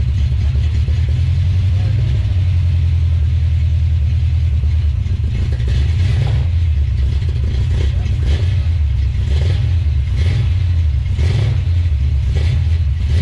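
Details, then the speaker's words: 1970 Plymouth Duster with 340 engine, first start attempt: V8 rumble rising and falling with throttle, lumpy with dropped beats; missing on a cylinder or two, suspected old worn engine. "um so it is indeed missing you can hear it um that's probably just an old worn out truck engine who wouldn't thunk it"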